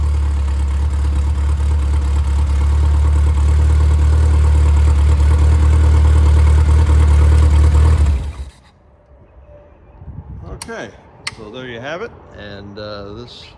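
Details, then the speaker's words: Freshly rebuilt Triumph Spitfire/MG Midget 1500 engine (FP4750UE, likely '75, double timing chain, double valve springs), cold, ~120–130°F, oil pressure 80 at idle: smooth steady low idle, even firing, no knocks or ticks, then shut off; good compression. "this engine checks out all the compression oil pressure is good."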